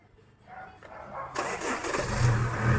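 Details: Chevrolet Cruze (turbo) that won't start: starter whirs the engine over steadily for a couple of seconds with no catch or pickup; it cranks but never fires.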